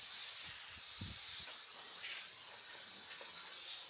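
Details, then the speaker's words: Toyota Tundra Hybrid engine cooling system being vacuum-filled. A steady, high, airy hiss with no pulsing comes from the air-driven vacuum tool as it pulls toward the green range and the radiator hoses collapse. The tool is working normally. "So let's go ahead and turn it on. It's going to get a little noisy. And let's let this thing do its job removing air from the system."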